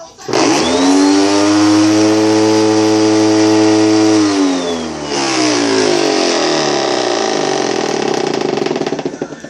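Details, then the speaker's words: Bissell vacuum cleaner: loud rough buzzing motor roar with a moped- or chainsaw-like rasp that sags briefly and recovers; owner believes it is broken, cause unknown. "My vacuum cleaner. It sounds like a freaking I don't know, chainsaw or moped or something."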